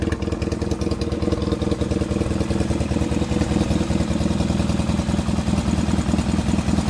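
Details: 1979 Yamaha XS650 twin idling after engine rebuild, before final mixture screw adjustment: steady even low thump with light mechanical chatter, no misses or knocks; healthy idle.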